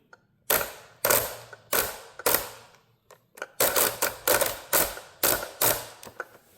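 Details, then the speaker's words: Two-year-old Traxxas Unlimited Desert Racer RC truck on 4S (two 2S LiPos), driveline forced by hand with the driveshaft held: sharp ratcheting bursts, about ten in seven seconds, a gear slipping and skipping teeth; owner suspects the diff engagement gear, diff itself feels fine. "So, my guess as to what went wrong is that kind of like the engagement gear right here. Because the actual diff part, like, that feels fine."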